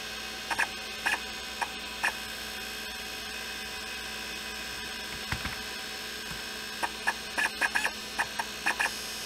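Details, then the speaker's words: IBM PS/2 Model 30 hard drive with a very scratched platter, after a homemade head recalibration fix. Quiet, irregular ticks in short bursts over a faint hum; the head is not noisy. Normal head seek clicks. "I'm super happy with the outcome and the head is not even noisy on that very scratched platter, I'm actually surprised."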